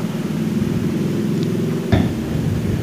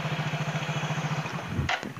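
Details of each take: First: Yamaha Mio J scooter run with the timing/drive belt removed, sounding like a bad connecting rod: rough, uneven knocking over a low idle hum; suspected starter one-way clutch bearings rather than the con-rod. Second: Yamaha Mio J scooter with the rough, con-rod-like knocking gone: smooth, even putter about thirteen beats a second with no knocking or rattle; clean, normal idle.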